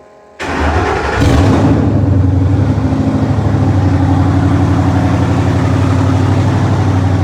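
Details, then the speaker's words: First start-up of a 1954 Ford F100 with a Coyote engine swap, on open headers with no exhaust and a new electric inline fuel pump. It catches within a second, then settles into a loud, even, burbling idle. Normal start and idle. "Just open headers. So she runs. She's breathing fire. Sounds good."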